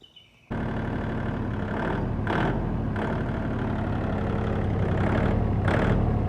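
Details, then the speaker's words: Kubota L2650 1.4-litre three-cylinder diesel tractor starting after the seized injection pump shaft was freed in place, throttle kind of stuck; catches in half a second and settles into a steady, even clatter with no misses or knocks. "hell yeah brother all right boys we have success got this moving free and when i first had it freed up moving it back and forth through that access port um i got it to start"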